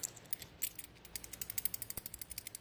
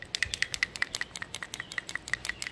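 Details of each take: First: New PCV valve for a 2001 Ford F-150 4.6L 2WD, shaken by hand. Crisp metal-on-metal clinks, about eight a second, show the check ball moves freely. The old dirty valve only rattled like plastic, and the truck had rough idle and surging. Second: 2001 Ford F-150 4.6L 2WD with rough idle, surging and power loss: old PCV valve, found dirty and not inserted into the block, shaken by hand gives a dull plastic rattle instead of a crisp click; dirty, sticking PCV valve.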